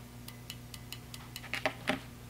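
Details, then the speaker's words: Fuel injector off the engine, fed cleaner through rubber tubing and pulsed with a 9-volt battery via alligator clips: a few crisp, sharp clicks over faint ticking as the plunger snaps open when powered, working normally. "and when I touch this you can actually hear the fuel injector little plunger pull back so"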